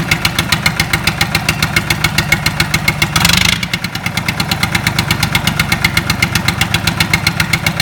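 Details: Lister Petter SR3 air-cooled diesel starting up after rebuild: even, steady diesel clatter at about 220 beats a minute with no misses or knocks; running healthy.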